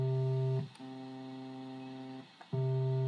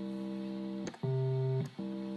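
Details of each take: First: Vox Continental organ, low C tone generator card with bias pot out of adjustment: steady note drops to a much quieter, thinner low C octave, restored to full after bias adjustment. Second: Vox Continental organ, tone generator card for C after bias pot adjustment: steady chord, then the previously weak low C octave sounds clearly at full strength; other C notes still to be checked.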